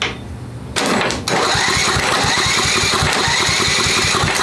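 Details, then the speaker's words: Craftsman 10hp Tecumseh riding mower after head install and carb refit, long unrun: rapid even chugging about four beats a second while cranking, never fires; owner concerned it isn't sucking fuel, suspects junk in carb. "she's not sucking fuel um that's got me a bit concerned it should it should pull some fuel"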